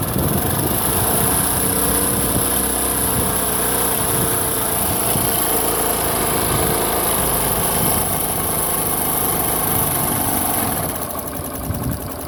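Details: Honda Pop 110i motorcycle revved briefly at idle: uneven mechanical clatter a few beats per second over the exhaust; engine noise of unclear cause.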